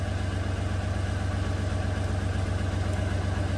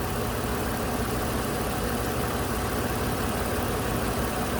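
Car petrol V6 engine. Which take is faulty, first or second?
first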